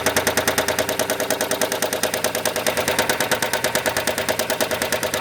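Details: 2007 Chrysler Sebring 2.7L V6, replacement long block about four years and 60,000 miles old, car at 129,000 miles, never ran out of oil: sharp, loud metallic knock about three per second at idle that grew from a small tick; shop says lower pan, owner suspects top of engine.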